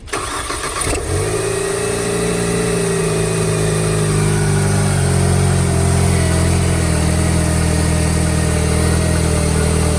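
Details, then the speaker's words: Crash-damaged Mercedes-Benz CLC200 on ramps after an intake pipe delete, MAF and throttle body cleaning, and oil leak work; at steady idle a faint rhythmic metallic tick. The owner heard metal; abnormal, cause not pinned down. "just thought I heard metal all right just just listen like right around there"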